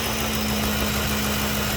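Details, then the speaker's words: 2014 Ford Expedition 5.4 SOHC V8 that misfired on cylinders 5–8 (left bank), left cam phaser oil control solenoid suspected stuck: now a steady, smooth idle with no misfires or pending codes. "running very smooth there's no misfires no pending codes no nothing"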